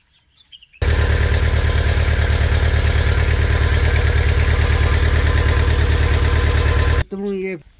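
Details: Mini loader diesel after water pump replacement, before refitting radiator, minor oil leak being checked: engine catches and settles into a steady, even idle with a firm regular chug, no knocks or squeals, then cuts off.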